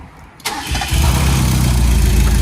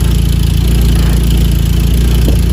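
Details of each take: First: 1.6 Mazda Miata with reportedly new spark plugs, ignition coils, fuel filter and upgraded fuel pump, fresh 5W30 oil: short crank, catches at once and settles to steady even idle, some smoke likely from the added oil; healthy start. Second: Mazda Miata bought for $900, just started; smoking from added oil, likely no coolant, oil pressure 30. Steady low idle with uneven, lumpy beat and wavering pulses; owner suspects vacuum lines or a bad EGR, unconfirmed. Rough idle.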